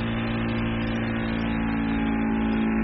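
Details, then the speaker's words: ST1520 3D vacuum sublimation mini press, vacuum started with the air hose attached to the mold cover on a cup: a smooth, constant low hum as the pump pulls the plastic cover down. Normal operation. "can see the plastic cover is getting vacuumated. Now it's ready for the sublimation."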